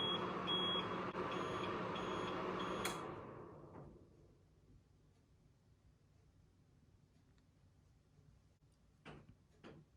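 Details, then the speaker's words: APC UPS running on battery until exhausted: high steady continuous beeping over an inverter hum for about three seconds, then cuts out silent; low battery alarm that cannot be muted with the test button, battery going dead. "Battery जब exhausted हो जाती है और dead होने वाली होती है तो उस पर ये कंटिन्यूसली बीप शुरू कर देता है।"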